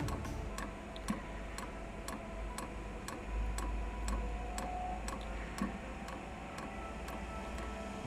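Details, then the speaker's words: Eberspacher Hydronic 10 kW heater with reported non-working dosing pump: sharp even ticks about twice a second over a quiet hum as the pump pushes air from the fuel line, sound changing as air clears; pump working. "now the pump it's changing its sound it should be that the air is out of the fuel line yeah okay it's getting there"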